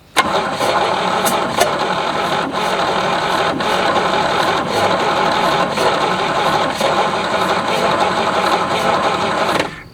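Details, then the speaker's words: 1967 GMC C20 with 305 big block V6 that sat at least 7 years, cranking after a no-spark check: the starter cranks steadily for about nine seconds with a few sharp isolated pops, minor ignitions, and it fires weakly but never catches. "we're getting some minor ignitions I think we just need to be patient"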